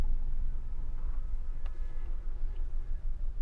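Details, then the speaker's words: Low uneven idle rumble that stumbles and dips on a Maruti Alto K10 AMT with blinking check-engine light, code cylinder 3 misfire detected, poor mileage and pickup; misfire from shorted coil and fouled plug. "देखो code देखोगे तो cylinder three miss fire detected यानी तीन number का cylinder जो है miss fire कर रहा है।"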